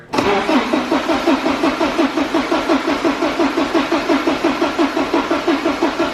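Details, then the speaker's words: Porsche 944 widebody, first start attempt after replacing the fuel pump and hoses, with the ECU removed from the car: the starter turns it over at nearly three pulses a second for six seconds but it never fires. Cranks, no start. "just realized something when we disassembled the interior we took the ECU out I think it's gonna start without that"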